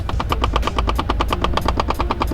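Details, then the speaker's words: 2015 VW Mk7 GTI at car startup: rapid even clicking about eleven per second over a low hum from the A/C; it stops after a while or when a dash button is pressed. Cause unknown, AC clicking noise at startup. "There's like this weird little like sound coming through the AC. I'm not too sure what it is at all."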